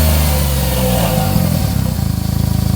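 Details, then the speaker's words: Smart ForTwo 450 with rebuilt engine and cracked, failed original exhaust/catalytic converter: revs then a loose, uneven chuffing, whistling and rattle at idle, an exhaust leak from the cracked exhaust before replacement. "așa că în primul rând vreau să auzi cât de rău este evacuarea asta, fluieră zdrăngănit"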